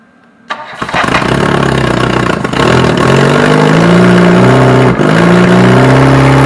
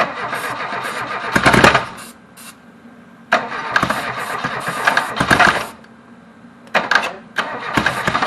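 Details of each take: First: Reliant Robin on its first start attempt, once fuel has been added. It cranks, catches within a second and keeps running, climbing and falling with throttle blips and pulling cleanly with no misses. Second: Reliant Robin on first start attempt: several short cranking bursts with quiet gaps and no firing; engine getting no fuel, later fuel poured in.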